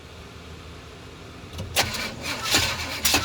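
Starter spins in uneven bursts after a quiet pause, but the engine never catches; it cranks without starting, cause unknown.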